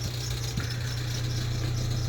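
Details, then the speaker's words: Ford Transit Connect diesel at idle, after new vacuum pump, high pressure sensor and cam sensor; fast light rattle over idle, owner suspects power steering pump; rattle at idle. "that rattling sounds like the power steering pump"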